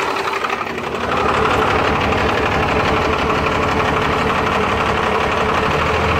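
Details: Cummins 12-valve diesel, rebuilt .040 over and balanced, timing about 16°, injection pump replaced 20k ago: loud uneven idle clatter that stumbles, a miss that worsens after a few miles or revving until stalling; runs smoother with filter drain valve open. Cause unknown.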